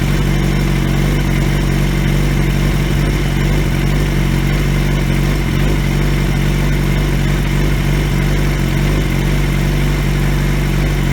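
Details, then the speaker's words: 2003 Yamaha YZF-R6 after replacing faulty ignition coils that left it running on two cylinders: smooth, deep, even four-cylinder idle with light revving and no stumbling; exhaust dented; runs normally. "the bike sounds much better even though my exhaust is still dented in because I'm an idiot but that's besides the point overall she sounds good though so let's see what she sounds like"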